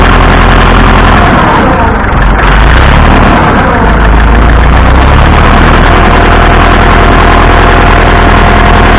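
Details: Massey Ferguson 165 tractor with plenty of oil pressure: loud low idle with a hard deep bottom-end knock about four times a second; owner suspects a rod knocking, not confirmed.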